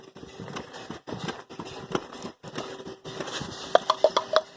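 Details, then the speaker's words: Small portable steam engine, hot, with drain cocks now closed: rhythmic chuffs at a steady beat with no knocking or clanking; it is running well. "She's running well. Cool her down a little bit."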